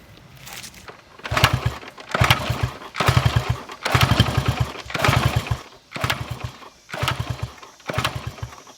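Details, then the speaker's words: 1974 Honda XR75, 48-year-old single, new carb, air screw out 3.5 turns: lazy uneven revs about once a second; best it's run but not quick and crisp, burning a lot of oil. "it's still not quick and crisp and it's definitely burning a lot of oil"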